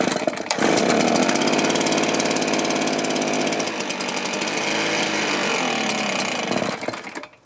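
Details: Stihl BR450 two-stroke blower that starts then dies, on clean two-stroke fuel: screams at high revs with no steady idle, sags, then cuts out; clogged carburettor port and blocked fuel tank vent.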